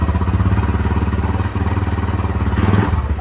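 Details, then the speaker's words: Honda Verza 150 after repair of a previously rough, harsh-sounding engine that had been opened several times: steady, even single-cylinder putter at idle with a round, smooth beat and no knocks or rattles; now sounds like a healthy new engine; normal idle. "Ah, suara mesinnya baru merdu teman-teman. seperti suara motor Verja pada dasarnya atau suara motor baru ya."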